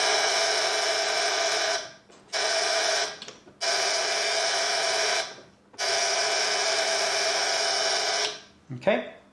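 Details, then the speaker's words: 1930s German Carl Haider violet ray machine, restored with replaced capacitor, switched on with no electrode: harsh high-pitched buzz in three bursts; interrupter oscillating normally, generating high voltage. "buzzing away so it's it's uh oscillating in there and generating the high voltage"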